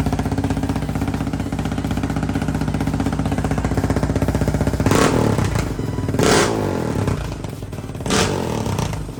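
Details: 2019 Yamaha Raptor 700 after a full Big Gun exhaust and Big Gun tuner install: steady single-cylinder thump at idle, then three sharp throttle blips that rise and settle back cleanly; engine runs strong and even.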